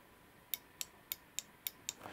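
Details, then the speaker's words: DIY high-power e-motorbike build, Domino throttle worked by hand: six sharp light clicks about a quarter-second apart from its built-in normally closed microswitch opening and closing. "there's a mark switch on it when you pull the throttle it opens when you let go of the throttle it closes which means that it's normally closed"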